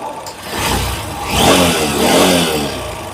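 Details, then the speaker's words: Honda SP 160 BS6 with a check engine light, intermittent starting and poor pickup. Revs rise unevenly and stumble on throttle, a misfire; the plug cap is suspected shorted after riding in rain and was found carbon- and dust-fouled inside. Before the genuine cap was fitted. "হয়তো plug ক্যাপটা short হয়ে গেছে, জল বৃষ্টিতে চলেছে, হয়তো plug ক্যাপটা short হয়ে গেছে।"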